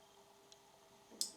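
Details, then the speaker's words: Porsche Design coffee maker built by Siemens, with a suspected broken heating element, in 2-4 cup mode. A faint tick, then a crisp relay click as the heater power switches off and on. The electronics work normally. "now it's off - you hear the relay switching The 68 V is just a wattless voltage Wait some seconds, it makes click and the power is back"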